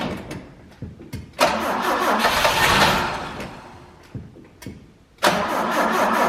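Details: 1968 BMW 1602, first start attempt after 10+ years of sitting, spraying into the tiny carburetor to prime the fuel pump. Short bursts of steady cranking, each cut off without catching; cranks but won't start. Suspected petrified carb, unconfirmed.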